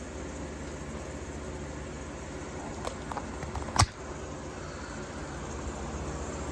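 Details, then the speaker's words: 1953 Fedders Weather Bureau window air conditioner, Tecumseh compressor, believed about 4,000–5,000 BTU, drawing about 475 watts, blowing about 40 degrees: soft steady fan hum and low even motor drone with one brief click; quiet enough to sleep to. "So you can easily sleep to this. No problem at all."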